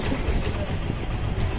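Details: Suzuki Gixxer FI single idling smooth and even with no clatter once rpm is raised toward the recommended 1400–1500. Below 1000 rpm an adjuster-like clatter appears, but the timing chain and adjuster are fine. Normal idle.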